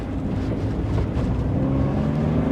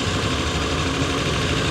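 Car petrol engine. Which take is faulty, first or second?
second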